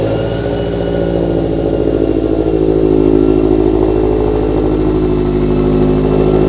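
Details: Toyota 86/Subaru BRZ/FR-S with newly installed Kraftwerks supercharger, upgraded injectors and header, first start after priming blower oiling system; even, steady note rising slightly under a light rev, no knocks or rattles: normal idle and revving.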